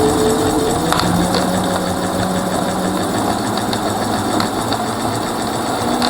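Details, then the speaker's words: Rear hub motor of a Mercane Wide Wheel electric scooter: harsh, fast uneven rattling and ticking over the motor whirr, like something came off and is tumbling loose inside the hub; cause unknown. "and sure you guess what the noise that's coming from the motor right now the bad ones so there we go is that something came off from right there I don't know what it is but it is sound like this little boot that's losing their necks just spinning around but it just sounds terrible"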